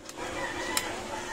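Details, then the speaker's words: DT Video King amplifier with power but no sound, on the bench during repair: one crisp click over faint hiss as the protection relay pulls in at switch-on; relay working normally. "mga sir Ayan pumitik Yan patayin natin ito i-on ko ulit Ayan mga sir oh ah gumagana na lumalag tik naman"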